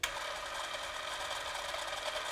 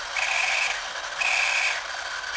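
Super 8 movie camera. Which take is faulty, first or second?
second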